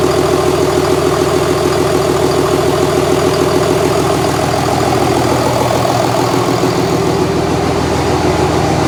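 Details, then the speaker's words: 2001 Cummins dually pickup diesel, rebuilt after its original 53 block cracked at about 240k miles: 56 block with fresh rings, gaskets and bearings, 53 rotating assembly, 50hp VCO injectors. First start after the rebuild, at idle. Firm, regular clatter with no knocks or misses; normal idle. "well as you heard I got the engine running uh here's the evening about eight o'clock really pleased with how it sounds"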